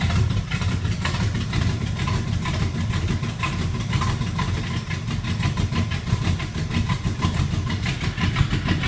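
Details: 1980 Camaro Z28 with 327 small-block Chevy and Comp Cams K12-212-2 camshaft kit, choppy loping idle with steady lumpy beat and deep exhaust rumble; normal performance-cam idle.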